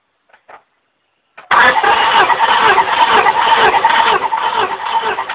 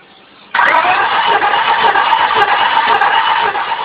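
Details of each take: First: 1998 Honda Accord 4-cylinder VTEC, compression test on cylinder 2 with the ignition disabled: steady, even cranking with no stumbling; 185–190 psi, good. Another cylinder later reads only 75–80 psi, dead. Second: 1998 Honda Accord 4-cylinder VTEC compression test: starter cranks with an uneven, lopsided rhythm, one stroke easier; that cylinder reads 75-80 psi versus 180 on cylinder 2; dead, low-compression cylinder.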